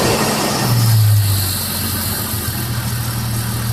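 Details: Jeep XJ 4.0 inline-six after warm-up, at raised idle: a light, fast, uneven tick just under three per second over the hum; owner suspects the valves, unconfirmed.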